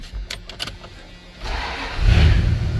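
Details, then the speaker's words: 1990 Dodge Power Ram 150 4x4, apparently V8, sat about five years; after fuel pump replacement it cranks briefly and fires right up, settling into a strong even run; radiator topped off (half gallon low), good oil pressure, very quiet: normal start. "it fires right out so I already went and topped off the fluid on the radiator it was about a half a gallon low uh seems to have good oil pressure runs good very quiet"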